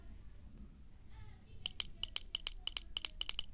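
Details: BMW VANOS solenoid bench-tested after resoldering a bad joint that caused rough idle and loss of power: crisp, sharp clicks, about a dozen in two seconds, solenoid operating properly.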